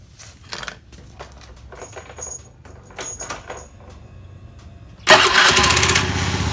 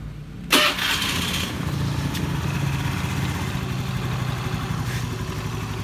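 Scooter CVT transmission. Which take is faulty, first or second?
first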